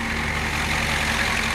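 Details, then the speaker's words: Diesel truck during a quick test drive: steady, even diesel clatter at a constant pace, no misses or knocks; no smoke, no issues, running healthy. "That's looking good. No smoke, no issues."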